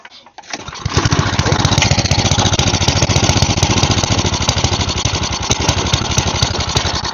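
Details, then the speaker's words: Side-shaft small engine for a go-kart, cut fuel line repaired, sat for an unknown time: started on choke, it runs ragged and uneven at roughly 220 pulses a minute; owner believes the carb needs cleaning. "Maybe I turn the choke off, it'll run normal. Alright, I believe the carb's gonna need cleaned."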